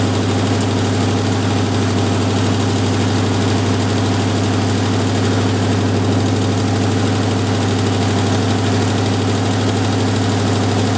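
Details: Jeep M715 army truck, fuel injection removed and converted to carburetor, old cold start; steady, even low idle at constant pitch with no misses or surges, settled and idling properly on the carburetor; normal idle.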